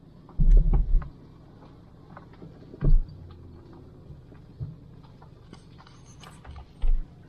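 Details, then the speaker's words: 2000 Toyota Celica 1.8 GT driven on a stony road after hitting a pothole: a few irregular dull low thumps between quiet driving, a worsening knock from the right-front suspension; owner suspects failed ball joints or rubber bushings, unconfirmed. "i'm going to take it now stony road just to hear the knocking it sounds like it is it's still under bright side front and it's making more and more noise"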